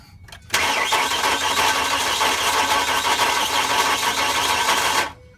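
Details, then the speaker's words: 2005 Ford Mustang 4.0 V6, crank-no-start, right after crankshaft position sensor replacement: about four seconds of ragged cranking that barely catches then cuts out, bogs on throttle; clogged catalytic converters later gutted as cause. "okay when it does turn on it box down as soon as I give it gas it bogs down"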